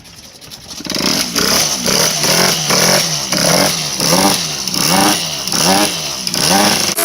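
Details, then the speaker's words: Peugeot 103 two-stroke moped with homemade pipe, freshly assembled, no wiring set up: raspy high-pitched buzz in quick throttle blips about once a second; runs and revs but janky, needs fine-tuning. "I did fire it up and run it. It's pretty janky."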